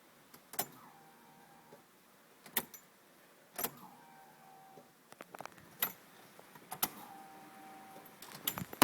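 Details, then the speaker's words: Ford Mustang 5.0 that cranks but won't start, key cycled to on: quiet clicks each followed by a brief faint whir or squeak about a second long, shorter than it used to be; owner suspects a fuel pump or fuel delivery problem. "I don't know if you guys will be able to hear the the worring noise or not, but it's it's just a little squeak sound."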